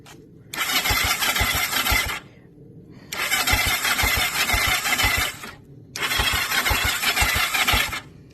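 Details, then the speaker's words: Kawasaki Ninja 500, cranked with no fuel; three short cranking bursts, high starter whir with even compression thumps about three a second, never fires; starter cranking with no fuel. "I think I'll give it one crank just one crank no fuel or anything just to just to crank it I think that'll be it"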